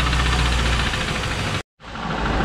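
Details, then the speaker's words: 2001 Pontiac Trans Am, Mobil 1 replaced with five quarts straight 30-weight oil, run about 15 minutes: steady idle with a faint, even internal knock that persists though slightly quieter; cause unconfirmed. "little it's still there but she is quieter now"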